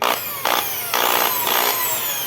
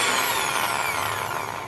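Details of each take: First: Skil electric drill running: high motor whine with a harsh buzzing rattle about twice a second from a loose housing; the cord was preventing the housing from closing and the screws would not tighten. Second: Skil drill (original Skil) after repair: noise was caused by a wire preventing the housing from closing and screws not tightening; now a clean motor whine falling smoothly as it coasts down, no rattle or grinding, running perfectly.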